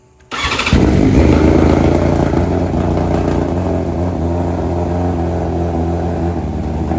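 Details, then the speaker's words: 2023 BMW M1000RR Competition, completely cold, modified exhaust with no tuning, not yet flashed: sharp start then raspy, popping, uneven idle like a giant fart that slowly settles; rough cold start from untuned exhaust modification. "go wow that sounds horrific that sounds real bad again that's with no tuning on here it's finally settled down now but man that was horrific the way that started up it's it sounded like a giant fart the entire time it sounded horrible"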